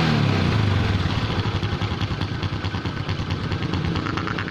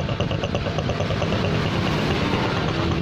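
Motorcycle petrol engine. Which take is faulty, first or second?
first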